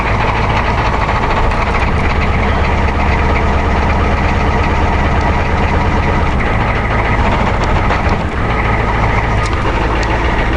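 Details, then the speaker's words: 1990 Ford F250 7.3 diesel cold start at -15°C, barely starts, then heavy loping clatter at idle with uneven beats and low rumble, running rough while cold; owner suspects injectors, blow-by test planned after warm-up. "Come on. Oh boy. You're not gonna want to start, you son of a bitch. Oh yes. Oh God, thank you."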